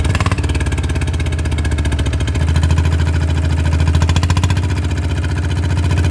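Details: RT100 two-stroke motorcycle at idle after draining engine oil that had not been changed for a long time: an even, low burbling idle at a steady beat with no knocks or rattles, idling normally.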